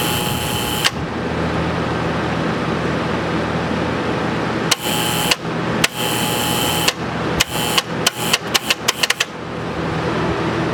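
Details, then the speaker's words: Air-cooled P502 TIG welder: the right-hand control relay, switched by the foot pedal and driving the big contactor, makes poor contact. Hum cuts in and out with sharp clicks speeding into rapid chatter; main contactor chatter from faulty control relay. "If I just turn on this one, it just does nothing to the big relay. Now the one here on the right is the one that controls the big relay."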